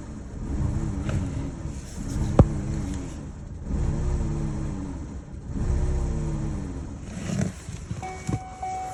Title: Chevy Cruze Rough Idle and Check Engine Light